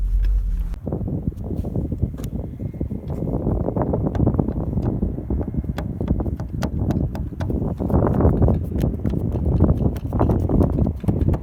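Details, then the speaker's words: SsangYong Actyon, riding inside the cargo area, irregular sharp ticks and knocks over road rumble from the tailgate; nuts clamping the camera and light trim bar were rubbing, fixed with two drops of engine oil. "Ну все, нашел, кажись. И действительно, гайки, которые прижимают планку камеры и подсветки Вот они, 2 капли машинного масла, которые решили всю проблему."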